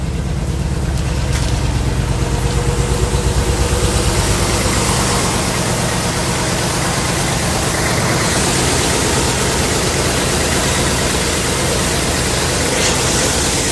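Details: 1964 Chevy Impala V8 idling after repair of a crank-no-start fault: steady, low, even burble with no misses or knocks; engine running smoothly, normal idle.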